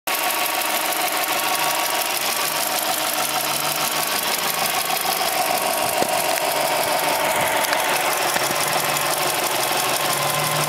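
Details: Subaru Impreza EL15 engine at about 75,000 km with original NTN hydraulic timing belt tensioner: quick light ticking keeping pace with the engine over a steady idle; the tensioner is knocking.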